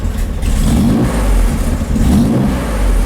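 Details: Corvair engine after a cold valve adjustment (one valve found very loose after clacking on a test drive), valve cover back on: low engine note swells and settles with throttle blips, no valve clatter; normal running; idle speed needs readjusting.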